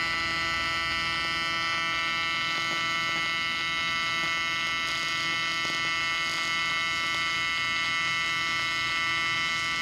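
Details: Miller Dynasty 300DX AC TIG welding aluminium during a beginner's practice session: constant smooth electric buzz holding one pitch with no crackle or sputter, a normal stable AC TIG arc.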